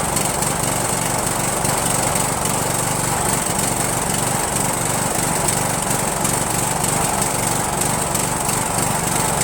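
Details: Rebuilt Briggs & Stratton 17.5HP engine (replaced two broken balancer counterweight links) repowering a Yard Machines lawn tractor, first start on choke, no belt pulley: ragged, uneven running at steady high speed, no clear backfire here; owner suspects carburetor.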